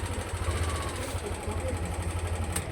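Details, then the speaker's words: Yamaha Aerox Connected scooter that ran out of oil, before repair: fast, steady light clatter over a low idle thrum, smoother at high rpm when VVA engages; valve clearance too loose and VVA rocker sticking. "Kita coba nyalain. Suaranya kemeletek. Cuma ini kalau misalkan digas tinggi, Teman-teman, di sampai VVA-nya dia main sini ya, dia suaranya lebih halus."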